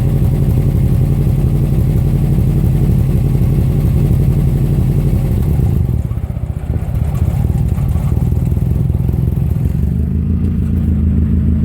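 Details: 2005 Subaru Legacy GT EJ255: deep uneven idle with an irregular stumble, roughly four pulses a second that don't stay even; engine misfiring.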